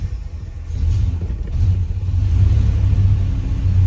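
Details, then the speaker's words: Hemi-swapped Grand Wagoneer just started after replacing a sensor: deep V8 rumble settles into slightly wavering idle; previously bogged as it warmed, now sounds better. Cause not yet confirmed. "After it starts getting some heat in it, that's when you start, it was starting to kind of bog down, so we'll just let it sit here and run for a second. Sounds better."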